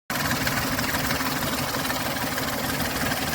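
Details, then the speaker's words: Ford Explorer 4.0L SOHC V6 checked for timing chain/tensioner noise; even steady idle with smooth mechanical hum, no rattle or ticking from the engine front; no timing sound, engine running smooth. "भाई कोई किसी तरह की आवाज़ नहीं ए रही है engine एकदम स्मूथ चल रहा है कोई टाइमिंग की कोई साउंड नहीं है"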